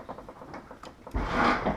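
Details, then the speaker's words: 1987 Chrysler Fifth Avenue lowrider on hydraulics, left side dropped: a few light ticks, then a drawn-out woody groan as the rear settles, a rear leaf spring shackle kicked over and binding, creaking as it pivots. "See, you can hear that shackle moving."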